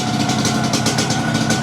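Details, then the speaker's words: Motorcycle with new engine block, new tyres and serviced carburettor, idling: even steady idle, smooth low thrum, no knocks or rattles; sounds healthy. "Oh, bunyi dia Sip. Bunyi motor baru Tayar baru kan?"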